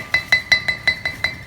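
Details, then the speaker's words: Wheel bearing hub seal gently hammered back in without a driver: seven sharp ringing taps about every fifth of a second, the tone turning clear and bright once the seal is fully seated. "another thing when you're driving something in with a hammer how do you tell it all the way listen to the sound"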